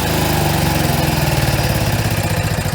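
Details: Coachmen Freelander 31BH RV generator, gas-fed from the RV tank: even, steady engine drone at constant speed with a regular low pulse and no misses or knocks; running normally.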